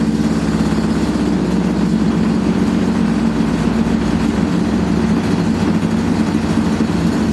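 Constant heavy roaring rumble that stays loud and harsh through the spin; classic sound of badly worn drum bearings.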